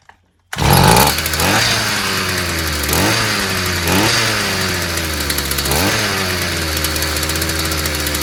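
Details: Stihl FS 55 brushcutter that wouldn't start despite new plug and carburetor, fixed by clearing a clogged exhaust: catches at once, settles into steady high buzzing two-stroke run with clean throttle blips; healthy.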